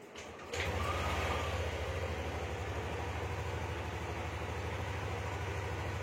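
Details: Yamaha Aerox 155 scooter after wiring wrongly connected by another shop was corrected; error code 46 (charging) cleared and the CKP sensor connection was fixed. Steady, even low pulse about three per second with no misses; normal idle.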